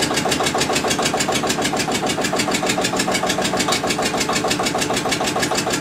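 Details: Witte diesel generator, unstarted 45 years, refilled with water and three gallons of oil: steady even chuffing about three per second with clattery top end, runs healthy.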